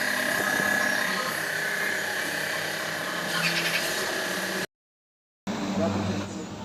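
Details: Hyundai Starex power steering: steady high hum over the engine for several seconds while turning; power steering hum when turning, cause undetermined.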